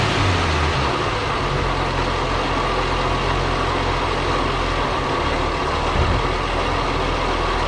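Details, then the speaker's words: 1937 Chevy survivor barn-find six-cylinder after fixing swapped plug wires (firing order 2-3 and 4-6 wrong): even steady rumble with no misses, stumbles or popping; normal running after repair. "that is amazing it runs so good I cannot believe it"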